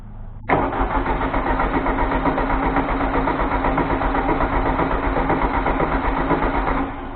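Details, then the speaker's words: 1973 VW Thing (1600cc) first start after restoration with the choke shut: steady starter churning at about four beats a second with no firing or catch. It cranks but won't start because no fuel is being delivered yet. "Work the gas. So you're gonna have to pump some gas into it. We're not getting any gas up it yet."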